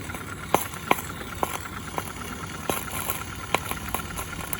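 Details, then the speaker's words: Accucraft Ruby 5 live-steam model locomotive, owned since 2015, hot at about 20 psi, run stationary: sharp, slightly uneven chuffs about 160 a minute over steady steam hiss; runs good, normal running. "Yeah, she runs good. We're around 20 psi at the moment."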